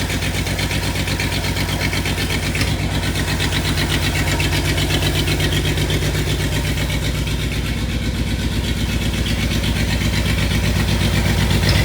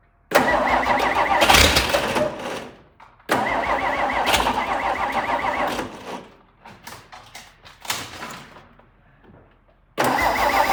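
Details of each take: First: Long, uneven cranking and catching, about four beats a second, before the V8 of a long-sitting '62 Studebaker settles into a lumpy idle. This car is known to start hard. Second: Several cranking bursts, then the V8 catches and runs unevenly before settling. This is a cold start of a '62 Studebaker not run in a while, in park with the rear wheels off the ground, once the fuel has primed.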